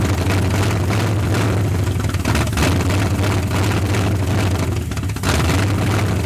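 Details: 1981 Ford Mustang 5.0 V8 parked since 1996, running on 14-year-old oil, fuel fed by bowl, no radiator, nearly 50 psi oil pressure: smooth, even deep burble with no knocks or ticks; sounds tight, like a fairly new low-mile engine.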